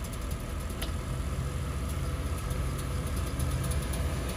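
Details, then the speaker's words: 1946 Stewart Warner South Wind gasoline heater in a 1941 Plymouth, fully warmed, set to low: steady even low hum with engine idling underneath, no startup ignition ticking; running normally. "actually gets so hot that sometimes you may want to push this in one notch and that's on low"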